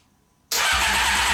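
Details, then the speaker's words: Honda CBR600 cranked with starter fluid sprayed into each intake and the choke on: the starter spins the engine steadily, but it never catches; it sounds like it wants to fire. "so yeah you can tell that it really wants to fire up and if I'm not putting that much starter fluid in here"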